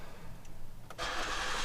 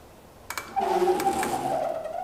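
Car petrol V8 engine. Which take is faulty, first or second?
second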